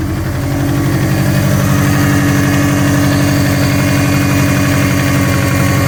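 Loud steady idle with a hard, repetitive knock riding on the engine beat, around three per second; cause not yet known.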